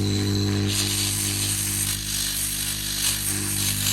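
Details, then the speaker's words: Charles Austen ET100 air pump from a WPL Diamond (Diamond DMS) treatment plant, running outside just after servicing with the service kit; good pressure, low steady quiet electric buzz and even hum with no rattles, running healthy. "So the air pump running. Good pressure there. So they are pretty quiet."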